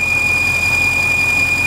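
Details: 2014 Bentley Continental GT (VW/Audi engine) at idle, air filter box removed: constant shrill steady whistle from excessive crankcase vacuum, with hissing when the dipstick is pulled.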